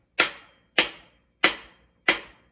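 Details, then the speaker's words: GM LS6 engine assembly, seating a main bearing cap with a soft bronze hammer: four crisp, even taps about two thirds of a second apart, each a clean sharp ring showing the cap is solidly seated. "You just tap the cap down. You can hear that, just to seat the cap."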